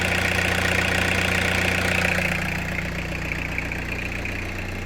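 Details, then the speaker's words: Peugeot 306 sedan XUD turbo diesel, after fuel work, clear fuel pipe fitted: uneven idle with a lumpy beat about three per second that settles slightly, less surging than before; rough idle from air still getting into the fuel system, possibly a split fuel pipe. "But yeah, as you can see, she's still getting air in the system from somewhere."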